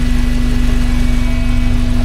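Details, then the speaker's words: 1982 VW Westfalia with Subaru engine swap, rear-mounted VW radiator, warm idle: steady even hum with no rattle or wobble; electric cooling fan switches on at 100° and runs normally, temperature dropping. "So the fan finally came on. Comes on at 100°."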